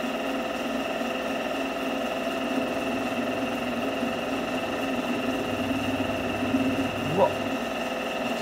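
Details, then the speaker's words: Drill press converted to a milling machine, side-cutting with an end mill: steady motor hum with a buzzing, rattling vibration under the cut; end mill chatter because the swivel-type table is not rigid. "Sự rung động thật tuyệt vời. Bạn nghĩ sao? Chà, nó rung nhiều nhỉ, cái bàn này không phải loại cố định, nó là loại xoay nên cạo rất nhiều , nhưng độ rung thì tuyệt vời ."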